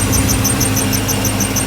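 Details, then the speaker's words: 1995 Ford Mustang GT 5.0 V8 at idle after new pulleys, idler, tensioner, plugs, wires, cap and rotor: quick high chirping whistle about six a second; grease got on the belt during the work and should go away. "we got a little grease on the belt when we were fighting, so it'll go away in a little bit."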